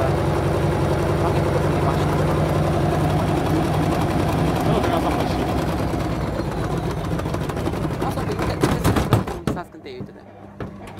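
Loud, fast, uneven banging, nearly four hits a second during spin, then it dies away: badly unbalanced load hammering the drum.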